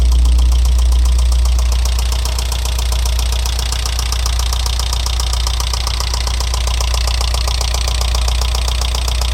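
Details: Alfa Romeo 166 2.0 TS petrol engine idling with a steady sharp knock about four times a second, appearing after head gasket replacement; tappets and variator ruled out, stethoscope places it on the right side near cylinders 3–4.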